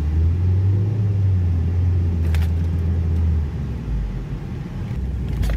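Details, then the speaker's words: Ford Focus dual-clutch transmission, no transmission codes, accelerating while driving: deep uneven chug-chug shudder, feels like a rough road, pulsating and shaking. Clutch shudder; needs a clutch job. "Oh yeah, it's just like chug chug chugga chugga. The clutch shutter. So it needs a clutch job."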